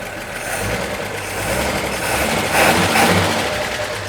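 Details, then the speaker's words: 1941 Chevrolet coupe six-cylinder, with new generator and fan belt, after carburetor idle adjustment, with a slight roughness and a possible sticky valve suspected: fairly steady run with slight unevenness, much better than before; coolant found low. "That car runs so much better."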